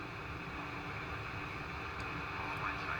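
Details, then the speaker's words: AWA 897PY transistor radio from about 1958; all transistors tested, one had HFE of 30 versus about 78-80 for the others. Loud steady hiss buries the station: a really noisy transistor swamping out the reception. "Now, it is working. But as you can possibly hear, we've got a really, really noisy transistor"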